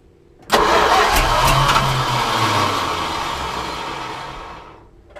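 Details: 1973 Plymouth Cuda, 340 small block V8, trying to start on gas only without starter fluid: catches almost immediately, runs loud and uneven about four seconds, then dies; owner suspects low fuel pressure or carb needing adjustment; oil pressure line replaced.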